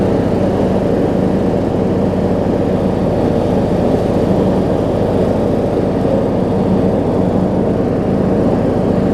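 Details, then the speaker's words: John Deere D105 riding mower with plastic pedal-operated transmission, 64 hours, after sitting unused for an unknown time: steady, even low drone with no misses, knocks or surging; it is running fine after being revived. "I mean, you can hear it's running just fine now."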